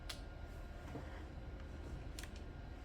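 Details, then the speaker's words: Old rusty-cased PC at boot: steady low droning roar like a lawnmower; overly loud fan, owner suspects the CPU cooler, unconfirmed. "I have it booted up right now, and it sounds like a lawnmower, so we have a lawnmower built into this thing. I might have to do something with its CPU cooler. It's not a good noise."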